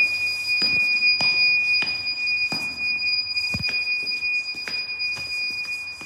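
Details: Unidentified recurring beeping at Westminster School Amman: a shrill, constant high-pitched electronic tone over irregular clicks and taps; source of the beeper unknown.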